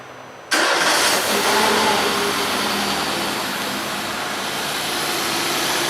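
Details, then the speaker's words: Peugeot 207 1.4 8v TU3JP after valve adjustment, fully reassembled and reset with a Raven 3 scanner, new engine mounts: the starter whirs briefly and the engine catches cleanly into a steady idle with no knocks or misses; normal start, no abnormal noises. "Sem ruídos anormais. Bastante estável."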